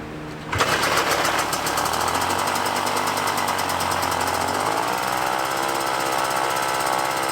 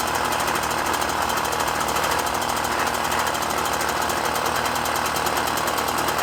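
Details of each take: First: Puch Maxi moped, 50cc two-stroke, being tuned: catches and runs buzzy with pitch shift, runs only on choke and dies when choke is pulled off; air leak between carb and intake. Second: Puch Maxi moped, 50cc two-stroke, after O-ring sealed carb-to-intake air leak: fast even buzz holding steady without stumbling or surging; normal running.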